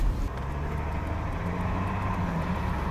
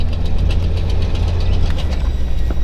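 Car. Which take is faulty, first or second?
second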